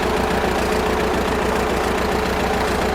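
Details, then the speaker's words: Amphibious Ford tractor, first runs after coil and Pertronix wiring, choke held out with a clothespin and in high range: uneven chugging at about 100 beats a minute that never smooths out; the governor mostly works but the carburetor needs tuning. "Definitely a lot of tuning to do."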